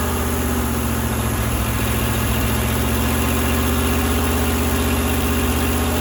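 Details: Firetruck V8, warm near 190 and kept from running hotter until a fan is fitted: deep, steady rumble, no knocking or banging; timing set roughly, fine tuning to come; normal healthy idle.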